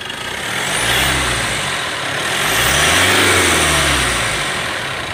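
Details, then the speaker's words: Mitsubishi All New Pajero Sport revved to about 2000 rpm and released: rough rattling vibration on the revs, first suspected turbo but turbine fine; noise vanished with the fan belt removed; worn alternator bearing. "jadi waktu kendaraan dilakukan RPM qqserasi sampai 2000 RPM dan dilepas gas itu muncul suara derik ya abnormal suaranya getaran di Turbo Namun ternyata bukan di tubuh kerusakannya ada di atau nanti akan kita lihat kita periksa"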